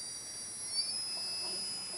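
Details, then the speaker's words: Motor driven by a 3DR ESC under APM2 control: a thin, high electronic whine rising in pitch as it spins up to near full power. The spin-up is smooth and normal. "spin it way up so it's spinning it pretty much full power now"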